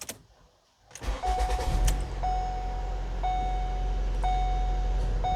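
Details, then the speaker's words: 2016 Ford Transit Connect, Duratec 2.5L naturally aspirated, test start after replacing spark plugs: brief crank, catches at once and settles to a smooth even idle under a door chime; no flashing check-engine misfire light, normal start. "fires right up engine idle sounds good not seeing any misfire lights"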